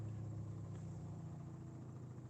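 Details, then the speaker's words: LG AI DD washing machine spinning bedding and towels at 1200 rpm or more: deep, steady droning rumble with rattling from a lopsided, unbalanced load at high-speed spin. "Now only on some spins, but this is a real unbalanced one. That's the first interesting spin on this cycle."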